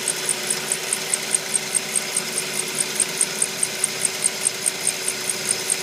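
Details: 2004 Mazda 3: thin, high chirp repeating about three times a second over a faint steady hum, a rhythmic squeak in the engine bay.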